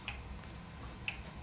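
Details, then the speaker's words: 2011 Hyundai i10 1.2 with P0011/P0014 codes, oil control valve bank 2 actuation test: two sharp clicks about a second apart, deeper and different from the intake valve's clicking; the valve switches as it should when energised. "so that was intake okay and let's do oil control Bank to so start that a different clicking noise"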